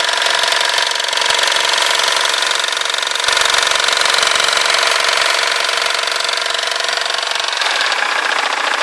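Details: 2005 BMW 320d E90 diesel at idle: a steady, rattly engine knock repeating about four times a second, with vibration.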